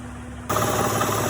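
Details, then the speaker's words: Honda Odyssey V6 whose Dayco timing belt tensioner failed within 3,000–4,000 miles, at idle then revved: rapid, steady knocking through the engine noise; suspected failed timing belt tensioner. "You can kind of hear the knocking noise down there. I'm gonna give it some gas here. I mean, that just sounds horrible."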